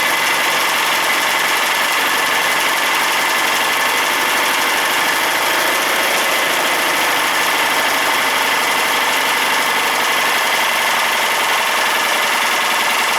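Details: Briggs & Stratton opposed-twin engine, run with a freshly fitted carburetor to see whether it runs or knocks. Steady, even idle with a busy mechanical clatter on top, but no clear knock stands out. Engine condition unknown.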